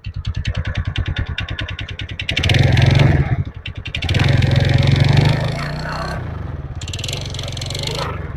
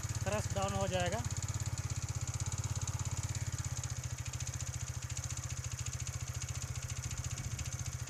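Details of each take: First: TVS Ntorq BS6 scooter idling in cold weather, speed settling after auto-choke fast idle: quick steady pulse with a few throttle blips and an odd clattering tick riding on top; abnormal noise, cause unknown. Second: TVS Ntorq BS6 scooter, cold engine with ECU-controlled auto-choke: quick, steady low putter with an even beat, running a bit fast and easing slightly; normal cold-start fast idle that settles by itself.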